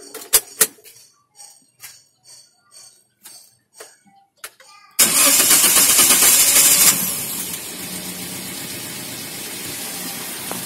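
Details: Daihatsu Sigra at 90,000 km, started after spark plug replacement and combustion chamber and injector cleaning: clicks, the starter spins, it fires with a brief high rev, then drops to a smooth, even idle.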